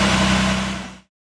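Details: Jaguar E-Type Series II six-cylinder, first start after strip-down with cams timed, tensioner adjusted and fluids refilled: it runs up and settles smooth and even with no knock or miss, a healthy normal start.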